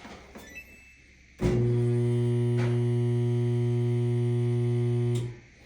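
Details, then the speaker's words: Samsung dryer gives a loud steady low electrical hum and stops without spinning up: stalled motor, likely something jammed in the blower fan, otherwise a bad motor. "So, in that case, something is stuck between the blower or have a bad motor."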